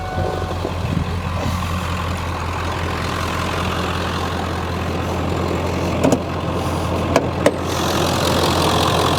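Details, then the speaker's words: Ford F-350 7.3L diesel, 6-speed manual, 320,000 miles, idling in summer after an oil change (owner notes a little white smoke on cold mornings): deep, even diesel clatter with no misses or knocks, only a few background metallic taps. Healthy idle. "And yeah, this thing runs pretty darn good."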